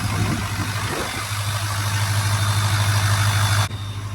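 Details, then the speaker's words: Diesel single-cab truck with a new Turbo Lab of America PowerMax turbo kit, idling after a cracked up-pipe was fixed: steady idle with a thin constant turbo whistle, whistle back after repair; normal. "that sounds much better the whistle the turbo's back after we fix that up"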